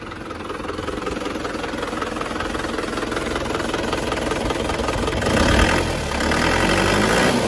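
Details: Diesel engine from Mesuji, Lampung, after a second engine rebuild and injector nozzle servicing to cure smoke and rough running: steady, even idle clatter with no misses or hunting, running smooth.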